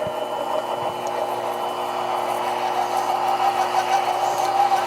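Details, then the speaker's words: Metal lathe facing cut of 0.010 in, pulleys on high-speed setting but very low spindle speed: steady motor hum under rough, rasping tool chatter, the motor slightly bogged down. "that noise you hear is chatter, and I did bog the motor down a little bit."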